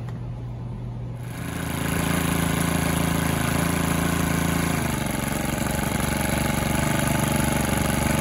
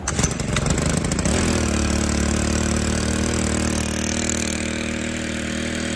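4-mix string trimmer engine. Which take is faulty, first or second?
second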